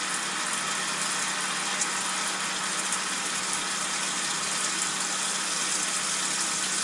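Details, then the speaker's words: GE Adora PotScrubber dishwasher after replacing its bound-up drain pump, with the tub prefilled from the cold tap. A steady, even hiss of hot water filling the tub, with no hum, grind or rattle; a normal fill before the drain test. "And then we'll turn it on and let it fill with its natural hot water for a couple seconds."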